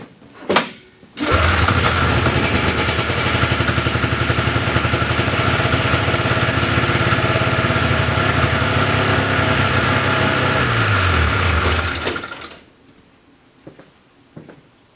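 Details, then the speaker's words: 1979 John Deere Cyclone 340 two-stroke snowmobile after a carburetor float rebuild: it fires and runs steadily for about ten seconds, then sags and dies. Seemed to run on more than starting fluid for a while; suspected not pulling fuel from the tank. "sounded like it there for a while I thought it was running on a bit more than starting fluid very good did we run out of fuel because we're not pulling it from the tank"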